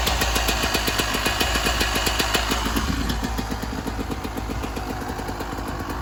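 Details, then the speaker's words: 1996 Yamaha YZ250 two-stroke after carb tune-up for rough low-end idle (pilot jet suspected), first start, still cold: crisp even idle about four pops a second, steady with no hunting or stalling; idle much better. "Okay, probably take a couple kicks, get some fuel into the carb. Take it off. lot better just on idle."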